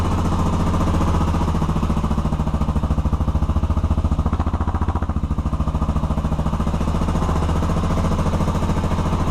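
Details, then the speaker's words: Honda 400EX after a top-end rebuild with Heli-Coils, warmed up: firm, regular single-cylinder thump that swells cleanly with throttle blips and no longer smokes; normal running. "she's warmed up i let her run for a little while and she doesn't smoke anymore"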